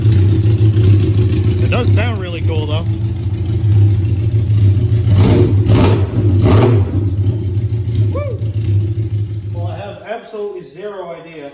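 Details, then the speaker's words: 1982 Suzuki GS650 Katana four-cylinder with cleaned carburetors, which loads up with black smoke, bogs and misses when cruising: lumpy, uneven idle that never settles; running rough, cause not yet found. "if anybody has any idea or is familiar with these bikes in these engines that can give me some advice as to what potential might make it run weird"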